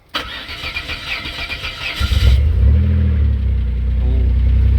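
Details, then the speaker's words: Cheap Maserati 222 SE Biturbo, cold start after fitting an external fuel pump: brief cranking, then the engine catches and settles into a strong, even low idle on all cylinders; normal start. "It goes through a bit of a cycle with the cold start, but it is definitely running and it's running on all cylinders. It sounds pretty good, I reckon."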